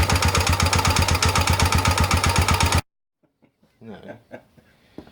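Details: Rebuilt Honda XL250 single-cylinder: sharp, even knock about four times a second over the idle, then shuts off; top-end knock of unconfirmed cause.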